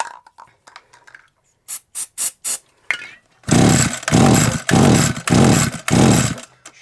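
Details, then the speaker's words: SGS Engineering 26cc strimmer left outside for three years, not primed because it seemed flooded; five quick, even pull-start strokes, about one per second, never catching despite having spark; owner suspects flooding: cranks but won't start. "had a fiery by now got spark quite easy start definitely should have had some foreign"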